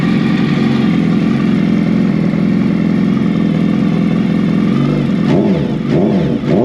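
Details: 2019 Suzuki Hayabusa, start during reassembly with a new aftermarket exhaust: deep, steady idle through the loud exhaust, then quick throttle blips near the end; runs clean and healthy.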